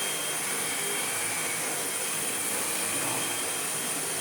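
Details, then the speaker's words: 2005 Sebo Felix Classic vacuum after restoration with new head and genuine spares and correct filter, on low/minimum: steady high-pitched motor whir with even airflow hiss, no rattles, grinding or surging; excellent airflow, running normally. "Yeah. Excellent airflow. Again, if we go down to minimum. Very nice indeed."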